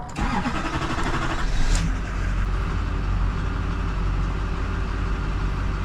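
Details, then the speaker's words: GMC diesel cranks once a blown 40 A starter-relay fuse is replaced, catches after about two seconds into a rough rumble, then stalls; a loose shop-installed fuel filter bleeder screw bled off rail pressure below the 6,000 psi desired. "Guess not. Yeah, it shuts off. So we got a fuel rail issue, desired pressure 6,000 psi."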